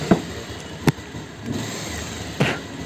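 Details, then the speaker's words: Bajaj Pulsar 220F at low rpm: idle broken by irregular sharp pops and the bike jerks as revs rise and fall, misfiring badly at slow speed but fine when ridden fast; carburetor suspected, not confirmed. "तो missing भी कर रही हल्के पर bike जो है धीरे-धीरे तो बहुत ज्यादा मिसिंग कर रही है"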